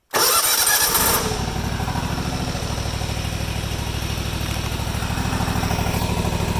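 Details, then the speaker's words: Deere GT235 riding mower, 1200-hour air-cooled Kawasaki V-twin with repeat lean surge history, started cold after carb work for governor adjustment; fires straight up and settles into a smooth governed idle with no hunting or surging. "So there, guys, you can see the governed idle that it's sitting at right now."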